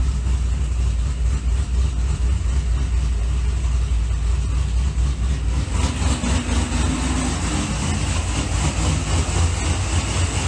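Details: Supercharged C6 Corvette V8, first fire-up after piston replacement and new heads, idling while warming up: smooth, deep and steady with no ticking or knocking. Quiet under the hood, exhaust loud at the rear; it still needs a tune.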